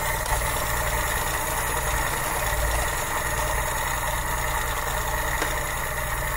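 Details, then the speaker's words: 1972 Mk3 Ford Cortina GXL after a tune-up, with the idle screw just turned up a little: a steady, even low putter with no knocks or hunting. The idle now sits right and sounds nice. "right there you go looking sounding nice"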